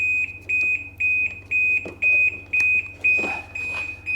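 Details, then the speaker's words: 2010 Ski-Doo Rev XP 800R carbureted, dash powered with a CANDoo Pro diagnostic tool plugged in: a sharp high beep repeating about twice a second, the dash shutdown alarm triggered by stored fault codes. "ah it says shut down that's a weird one just starting up the can do pro oh well that's awesome feature just keep beeping till I can't stand it anymore man that is noisy"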